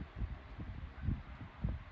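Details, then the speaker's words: Lakewood 9-inch high-velocity wind machine fan, reassembled after a balancing attempt, running on low: a low, uneven throbbing wobble about twice a second, louder than before; the blades are still out of balance. "Okay, this was a fail. The blades are definitely still out of whack."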